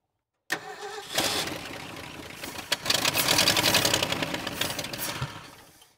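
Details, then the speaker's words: 1968 Ford F350 with a 360 V8, not started since about 2007–2008: it cranks, catches and sputters raggedly on gasoline poured into the intake, then dies. There is no fuel supply, and the accelerator pump is gone. "got to get a gas supply to this oh my gosh this is like the most exciting thing I know that's the wrong thing to do I'm just pouring it on the intake"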